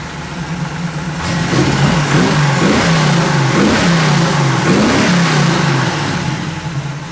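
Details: 1957 Chevy converted convertible V8 just after timing set to about 38 degrees and idle turned down; deep, even burble with gentle rise and fall as revs settle, smooth steady idle, healthy.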